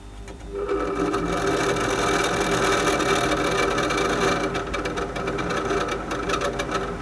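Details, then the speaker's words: Refrigerator (no-frost/freezer) starting, stopping or running: rattling, chattering whirr with fast irregular beat from the failing condenser fan next to the compressor outside; the wires and gas pipes in front of the fan need cleaning. "ses yapıyor ise dışarıda motorun yanında bulunan bu fan arızalıdır"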